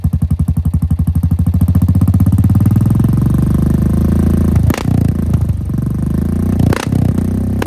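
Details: 2017 Honda Foreman Rubicon 500 IRS 4x4 single-cylinder ATV after a top-end rebuild with OEM rings and valve adjustment, following submersion, first start; catches and settles into an even, steady firing beat, no knocking or ticking; normal running.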